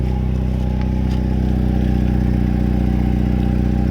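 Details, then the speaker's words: Mercedes SLK 230 petrol engine idling with a loud, deep exhaust drone and steady low pulsing despite an added muffler and steel wool in the rear muffler; a leak is suspected, possibly rear or front of the muffler. "still this car X is very loud I think it is leaking from somewhere"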